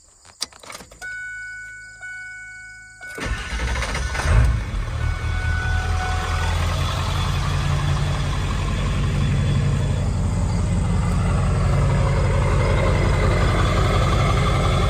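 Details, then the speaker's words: 7.3L Powerstroke diesel truck restarted warm after a 10-mile drive: brief crank, catches cleanly, settles into steady deep idle, smooth with no surge; contrasts its rough cold-morning hard start, owner suspects injector o-rings. "smooth and no surge"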